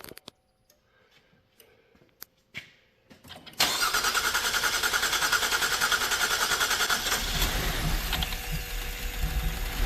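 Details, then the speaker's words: 2012 GMC Acadia SLT 3.6 LLT, first start after final assembly with the fuel pump fuse in: the starter cranks steadily for several seconds with air in the fuel lines while the injectors fill, then the engine catches; extended cranking. "Oh! It's got a lot of air in the line yet. Yeah. Oh, it's wanting to. Well, it's just got to get all the injectors filled up."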